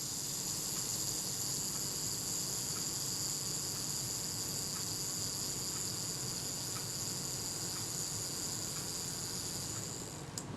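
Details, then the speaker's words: Kodak Retina IIIc camera self-timer after servicing, retard gear train adjusted and speed trains cleaned and lubricated with dry graphite powder: even high buzzing whirr runs about ten seconds and ends in a clean click; self-timer runs down smoothly, normal. "I want to hear it run down. That's sounded pretty smooth to me."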